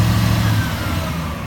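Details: 2001 Chevy Silverado 2500HD 8.1 V8 at idle after repair: deep steady rumble with no squeak or tick; noise was exhaust pinholes (patched with JB Weld) and a driver-side exhaust manifold gasket leak, now fixed.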